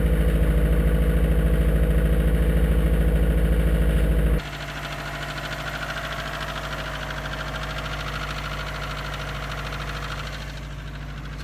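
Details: 2002 Subaru WRX with 2.6L STi hybrid forged engine, cold morning start around high 30s–40s °F: steady idle with deep, even knock about three times a second; owner suspects piston slap; cold idle knock.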